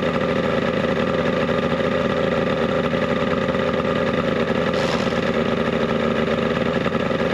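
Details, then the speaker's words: 1967 boat, 70hp Mercury two-stroke outboard with carbs cleaned, first run: steady even buzz with no misses or knocks. Runs healthy, engine a little warm; the water pump is suspected bad and is due for impeller replacement. "that actually sounds healthy how hot are we oh not too bad a little warm"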